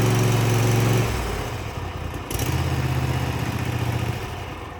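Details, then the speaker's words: Cub Cadet ZT1 zero-turn mower after throttle cable and lever replacement, started with a little choke: engine drops from full throttle to a steady, even low idle that holds without hunting; healthy idle. "That sounds right."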